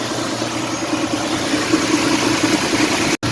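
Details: Mitsubishi Montero with long crank time, fuel pressure dropping quickly from a bad fuel pump check valve, after fuel pump replacement: steady, even idle with only a faint irregular pulse and no stumbling; normal idle.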